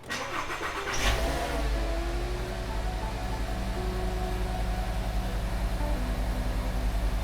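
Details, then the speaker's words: VW MK6 Jetta 2.5 after new NGK spark plugs and Bosch red ignition coils: cranks briefly, catches, flares then settles into smooth even idle; running correctly. "Okay, now that we finished all the work, let's just go ahead and start it. Make sure everything idles correctly."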